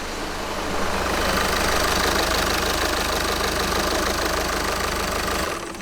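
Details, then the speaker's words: Car started cold after replacing bushings: idle is lumpy and uneven, stumbling, then shuts off. Rough cold idle; owner blames the spark plugs, not confirmed. "Well, it's ok, but you can hear what I'm saying. Start it! It's a bit bumpy, in the cold because of the spark plugs, but I think we'll solve it later."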